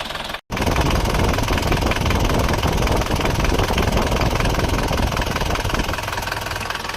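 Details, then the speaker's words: Isuzu Panther diesel from Kras, Kediri, at cold start with thin smoke; owner finds it rougher than before; a loose, uneven tek-tek clatter about three per second over the rumble, from pistons striking the cylinder walls; piston slap. "ini kalau didengarkan Emang ada suara semacam ngleklekkk se nya sedikit Tetapi kalau menurut pemiliknya ini risih katanya mau dihilangkan suara nkkkk"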